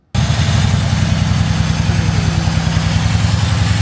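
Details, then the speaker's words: Crashed Mercedes C63 S donor car, V8 at idle on first start: deep, uneven lumpy beat with slight shaking; intake air leak heard at the front, likely causing a misfire, though engine judged usable. "okay so firstly a leak in the area intake system you can actually hear that so that it's running at the front which will definitely cause a misfire"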